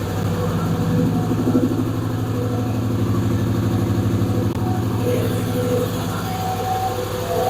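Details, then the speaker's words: Plymouth Duster with a Hemi V8 and homemade intake manifold, first start, carburetor not yet set. Fast, lumpy, loping idle well above normal speed, no load. Owner hopes there's no vacuum leak; a lifter tick is also noted. "It's running awfully high, but I didn't set nothing on the carburetor, obviously."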